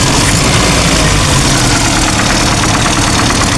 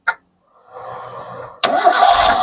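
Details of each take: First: Old Toyota Kijang Kotak body super, idle after sitting two years: busy light clatter over a low rumble, valve-train ticking from camshaft/valve clearance setting out of adjustment; vacuum still works slightly. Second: Old Toyota Kijang Kotak body super, started without throttle: quick starter whirr, then it catches cleanly within about a second and settles without stumbling; engine sounds very smooth, no heavy smoke, normal start.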